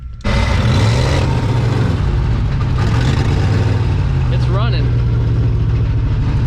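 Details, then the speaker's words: 1986 Chevy 1-ton dually Silverado, swapped 6.2L Detroit diesel, sat 22 years; just started, heavy white smoke, earlier idled very high; deep lumpy uneven rough idle with grinding undertone, owner suspects starter stuck engaged on flywheel. "sounds like the dang starter is stuck like it sounds like it's stuck on the flywheel because every time this engine starts running I hear that starter"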